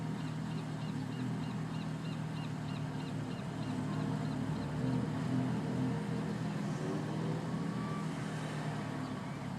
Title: Twin turbo Lexus is250 rough idle